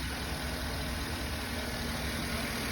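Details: 2008 Chevrolet after spark plug fix for multiple-cylinder misfire: steady, even idle with a smooth low rumble and no stumble or skipped beats; normal idle.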